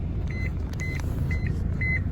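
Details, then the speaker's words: 1991 Honda Accord with engine running: short high beeps about twice a second that never stop; constant seatbelt warning chime from a module box under the passenger seat. "that beeping and i could never figure out what it was i thought maybe there'd be a little speaker somewhere under the dash that i could just clip some wires and we'll be good right"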